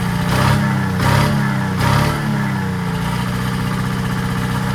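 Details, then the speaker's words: 1940s Allis Chalmers D5/HD5 crawler, two-stroke Detroit 271 diesel after long storage: three quick throttle blips then steady even idle beat; motor sounds good but smokes, owner suspects troublesome injector. "right, that thing is a smoker. Motor sounds good."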